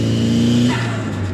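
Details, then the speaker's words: Restored Nissan 180SX with new tune, on its first drive: a clean rev holds a steady pitch, then falls away smoothly without misses or knocks; sounds healthy. "wow it sounds amazing that's so good"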